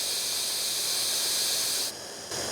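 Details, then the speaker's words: Pressure tank on a variable-speed pump at about 3.5 bar: a steady high-pitched hiss of air bled from the tank valve, dropping and then resuming, to let more water in. This is a normal, controlled air release. "okay now I'm going to start leading air out [Music] and see if we can get more water in"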